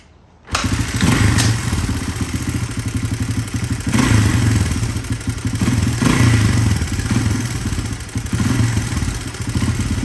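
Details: 1983 Honda XR200R, revived after years sitting, started outside with fresh gas: catches at once, settles to a steady thumping idle (idle turned up) with light chatter, thought to be normal valve noise. No smoke; healthy.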